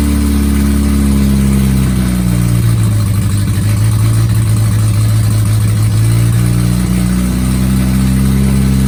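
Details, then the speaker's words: Innocenti 1275 A-series Mini engine bench-started for the first time in nearly 20 years, exhaust manifold, inlet manifold and carb fitted, fuel poured in: strong steady low rumble, smooth even firing, revs swelling briefly then settling; runs cleanly with oil pressure. "Wow, the engine actually ran, and it ran for a bit of time as well."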